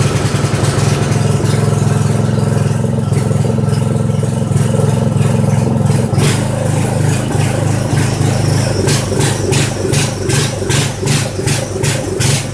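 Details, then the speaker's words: Poulan 900 rototiller single-cylinder engine on choke at slow speed, with oil dripping out of the carburettor air box: uneven, lumpy beat with hunting speed. Rough running, blamed on the oil-soaked air filter starving it of air; overfilled oil or a blocked PCV valve possibly behind it. "yep I'm gonna claim that this oil coming out of this air filter is the reason that we're having this issue with running we're not getting enough air in it"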